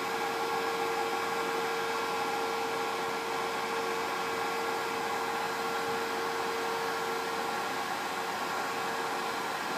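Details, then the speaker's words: Pinzgauer 710K Eberspächer B4L/BN4 gasoline heater on bench before restoration, burner relit after fuel dosing with temperature climbing: steady mid-tone flame hum and airy rush, no popping; running normally. "we can hear this the the humming of the the the the the flame now the temperature is climbing"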